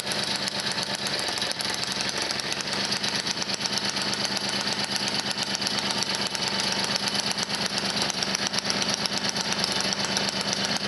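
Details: 1978 Motobécane 51 VS moped, engine seized after thirty years idle, fully rebuilt with new rings, bearings, oil seals, clutch, points and condenser, started on first pedal; busy crisp two-stroke buzz with steady even beat, no misses or knocks, normal running.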